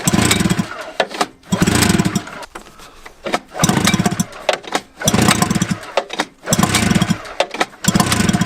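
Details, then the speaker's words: Old Yamaha snowmobile recovered from the woods, being pull-started: repeated pull-cord bursts, engine spins over about every 1.5 seconds without firing; cranks but won't start because the tank has no gas. "Tyler's made an important discovery. Ain't got no gas in it."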